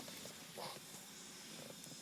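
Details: 2000 Mercedes S500, 11 years old: a quiet, continuous hiss of air escaping in the comfort-system lines. Because of the leak, the pump runs 10-15 seconds after a trunk release, and the trunk close assist fails. The leak is suspected near the centre of the rear shelf.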